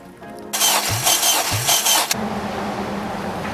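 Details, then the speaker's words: Boosted 571whp K20Z3 in 2011 Honda Civic Si, compression test cylinder 2: steady starter whir with even compression pulses, reading about 240–245 psi, similar to cylinder 1; normal, healthy compression. "Yeah, that's 245 maybe. So 200, yeah, I'll say 245. 240. Around the same as number 1. Not too bad."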